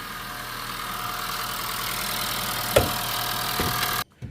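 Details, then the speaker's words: 2017 Honda Vezel Hybrid with cold-start misfires, spark plugs and coils already swapped, still in good fuel control: a rough, uneven idle with occasional stumbles and a loose knock, misfiring on cylinders one, two and three. "I believe the guy said that they swapped the spark plugs and the coils so and the mfire is still on cylinder one two and three they not really gain any on CER number four"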